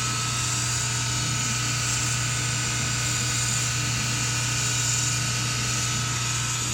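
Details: SPT countertop dishwasher gives a constant loud low drone with a rattly, ratcheting whir during the wash cycle, not while draining, from the back left bottom. The screen, filter, intake and drain hoses were already cleaned and dishes come out clean; a wash pump fault is suspected.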